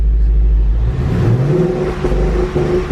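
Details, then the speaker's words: 2015 Ford Mustang GT rebuilt after a wreck: with check engine light still on after codes cleared, idle rises and falls by itself with uneven dips and hunting rpm, no throttle input; erratic surging idle. "all right check engine light wind back on let's go ahead and see why is it on because whatever it was just doing that is not normal definitely not normal the way it's it's like revving and stuff"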